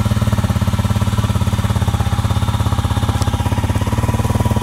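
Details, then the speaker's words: Honda CRF250L with a 305 big bore kit, first startup after the shop work: a healthy single-cylinder idle with quick, even pulses and no rattle. The header looks more yellow and blue, so the owner thinks it runs hotter. "Hey, it's running. Seems to sound pretty good to me. The fact that it's not rattling is a good"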